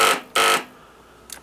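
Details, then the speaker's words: Free Toro ride-on mower, park brake engaged, brake switch disconnected: two sharp high beeps about a third of a second apart, then quiet; low-voltage warning to the starter relay because the battery is very low. "okay so that's telling me it's got low voltage to the to the starter relay which is because that um the battery is so low"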